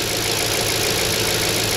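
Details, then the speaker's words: 2002 Audi S6 C5 4.2 V8 ANK after engine reinstall, before test drive: fast light ticking over a smooth, even V8 idle with no heavy knock; normal fuel injector clicking. "А що воно це трррррр? Форсунки. А чого вони так зловиться?"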